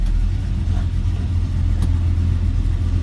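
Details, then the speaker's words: 1972 Chevrolet C10, 350 V8, TH350 automatic, shortly after cold start: deep, even burble with steady low pulse, no knocks or ticks; normal healthy idle. "all right slip around to the back and hear this run that's a good sound of truck listen to that"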